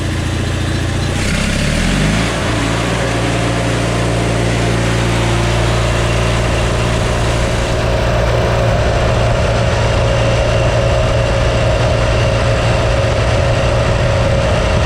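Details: John Deere with Onan twin engine, checked with a reflective tachometer while setting rpm, top speed set to 3450: drops from high speed to an even, steady low idle with a regular beat and no misses.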